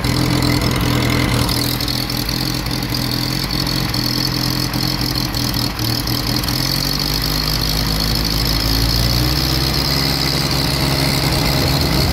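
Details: Willys CJ-2A Jeep L134 with new Carter WO carb, plugs, wires and coil, warmed about 15 minutes, heat riser not fully closed; idle is loud with an uneven lumpy beat and occasional skip, a rough idle with intermittent miss, cause unknown.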